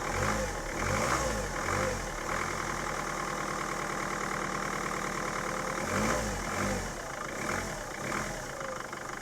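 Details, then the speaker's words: Mercedes Sprinter van diesel, unstarted for five years while used as a yard shed, heard with the bonnet open: slow, uneven cranking to draw fuel from the tank, then it catches and runs roughly. "and then we had a crank on it a bit to draw some fuel from the tank that's not really bad after five years and that's pretty reasonable"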